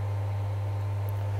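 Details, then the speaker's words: Graf Eco-Plus rainwater harvesting pump after being spun by flicking the fan despite failed capacitor: steady even low hum with faint water rush, running normally, pressurized and pumping to toilets. "you'll notice that actually now the pump is running quite happily we've built up pressure and we are now pumping the water through to the toilets"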